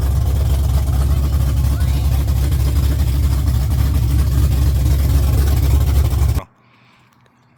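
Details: LS-swapped Chevrolet C10 on Holley Terminator X, first start after sitting 3 years, fuel pressure set to about 45 PSI: deep, steady V8 rumble settling into an even high idle before shutoff. Fires and runs cleanly.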